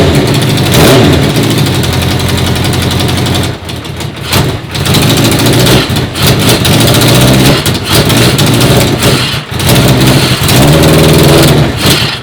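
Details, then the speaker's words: 1980 Honda CB650 four-cylinder carbureted bobber, first start after the carb O-ring fuel leak was fixed. Idle surges and stumbles, with revs dipping and catching, unable to hold steady off choke. The owner says the carbs draw too much air; it sounds good on choke. "When I turned off the choke, the bike really was getting too much fuel. And with the choke on, it's restricting the air, giving it more fuel."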